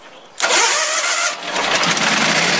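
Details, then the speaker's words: Case lawn tractor with a 20 hp Onan engine, primed with gas poured in, warm day, no choke. It catches abruptly and runs ragged and uneven as if fuel-starved, then dies; owner suspects a weak fuel pump or a carburetor needing cleaning or rebuild. "We might have to rebuild that carburetor. Don't know yet."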